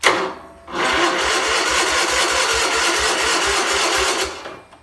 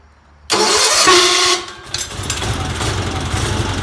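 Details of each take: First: 1977 Sears 16/6 tractor, Onan engine with rebuilt carb, cranked by jumper cable straight to the starter bypassing a suspected bad solenoid; spark untested. Grinds slowly at three to four beats a second and never fires. Slow cranking, no start. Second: 1977 Sears 16/6 tractor with an Onan twin, after new plug wires, original GT18 points and coil, and carburetor rehab: short crank, then catches quickly and settles into a steady, even low idle with no misses or knocks; normal running.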